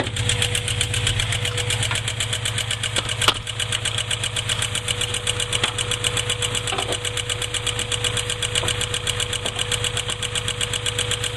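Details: Honda B20Z petrol engine at idle: fast, even ticking, several taps a second, over the steady hum; cause unknown.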